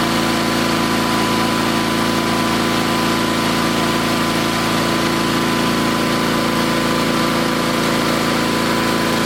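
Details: Old Onan twin-cylinder engine at half throttle, just after new points and condenser fitted: steady, even beat with no pops, sputters or backfires and no arcing at the points; carburetor still needs slight fine-tuning.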